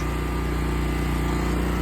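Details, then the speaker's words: Westinghouse 20,000 W portable generator powering a whole house: steady even drone at constant speed with no surging, knocks or hunting under heavy load; running healthy. "and this thing is is running great."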